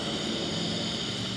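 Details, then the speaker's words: Brute air compressor with the check valve already replaced and the O-ring swapped: constant high-pitched hiss of escaping air over a low hum, no cycling; air still bleeding off through a leaking unloader valve. "It's still leaking. I certainly hear it leak."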